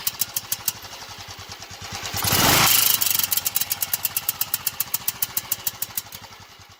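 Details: 2000 Royal Enfield 500cc Indian Bullet, warm engine after 8–10 minutes of riding, low rpm only: a thin, tinny tick about twice a second with a brief rev, sounding like misfires. The cause is unknown.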